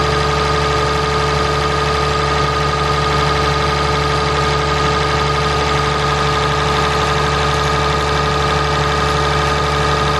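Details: 2017 Ram 3500 pickup, 6.7 Cummins diesel, idling after water pump replacement and coolant refill: steady idle with even clatter and two constant tones, no knocks or squeals; engine sounds healthy.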